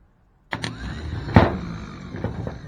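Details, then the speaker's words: 1973 Ford F350 dump truck, starter jumped directly at the post: sharp click then thin electric whir, no cranking; starter spins but Bendix gear doesn't extend to engage flywheel, starter faulty. "it's not so starter is no good me see if I can explain a little better so when I put Power to this post the starter spins up this gear should fly out here catch the flywheel when the engine starts the gear goes back in it's not doing that for some reason"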